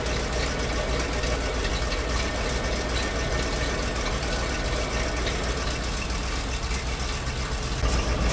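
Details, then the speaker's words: ZIL truck crane abandoned 20 years, first run after oil top-up; rough busy idle with fast uneven rumble holding speed without stalling. "Друзья, работает. Вообще тачка огонь. Прикольно, все прикольно."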